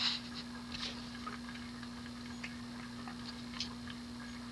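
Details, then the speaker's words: 1988 Hunter Embassy 42" ceiling fan, model 25644 with 172x12mm motor, on low speed: steady hum with faint irregular clicks and clunks from worn bearings; fan is very dirty. "can hear the clunkiness in the bearings"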